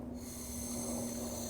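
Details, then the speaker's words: EZ-Wok high-heat burner with a 0-30 psi regulator, line pressurized and leak-checked: the pilot valve is opened, giving a steady, even gas hiss with a faint hum, no sputter or surging. Gas flow to the pilot is normal. "you hear that okay we got gas flow all right so now that we've got all our connections right and we have fuel in the line it's under pressure"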